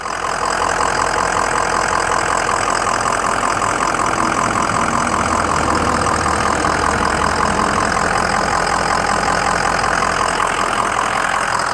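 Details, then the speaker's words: 2004 Ford Excursion 6.0L Powerstroke diesel, 118k miles, mechanically stock, new injectors and FICM, at idle: steady, even idle with light injector clatter, no puffing or irregular knock; no blow-by; normal diesel idle. "No blow by."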